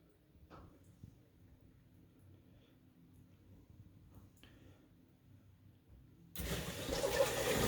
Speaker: hear that a lot of water flowing same thing on the other valve a lot of water flowing can you hear that